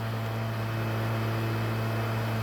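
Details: PlayStation 3 bought on OLX that is too loud and shuts itself off: steady loud airy turbine-like roar with a low hum, no pitch change; the console fan runs far too loud.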